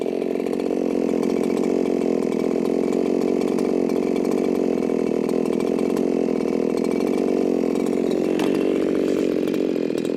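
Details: Chainsaw tuned in the cut at about 13,500 rpm: high steady scream with a ragged, spitting, sputtering burble; carburetor mixture sounds far too rich and needs leaning.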